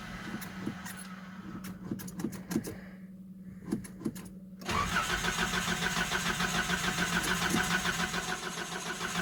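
Starter churns in uneven bursts for several seconds, a pause, then the engine catches and settles into a fast idle; slow, hard cold start. Cause suspected, not confirmed.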